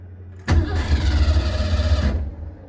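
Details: Engine with an Edelbrock Pro Flo 4 fuel injection: the starter churns steadily for about a second and a half with low chugging but never catches; crank, no start.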